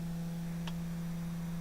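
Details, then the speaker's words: Datsun 280Z, key in the on position with the engine off; constant low electric hum as the fuel pump runs continuously instead of priming briefly and stopping. The owner suspects the oil pressure sensor or the coolant temperature sensors. "what happens is when you turn the key into the on position, instead of the fuel pump running for a little bit and then shutting off for a couple seconds, it continuously runs."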